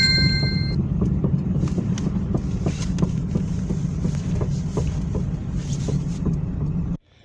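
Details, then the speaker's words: Car driving on road with sharp metallic knocks two or three a second, growing louder, from the left; worn left stabilizer link, replaced. "итоге вот слева как мы и думали это стойка стабилизатора слева"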